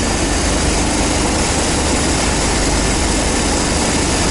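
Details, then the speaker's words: 1990 GMC 350 small-block V8 first fire after engine swap, cold, Thrush muffler and Cummins exhaust tip: deep steady rumble with even exhaust note, no misses or knocks; normal idle. "alright they [ __ ] runs is what happens holy [ __ ] hell yeah buddy listen to that exhaust oh yeah that sounds good I like that"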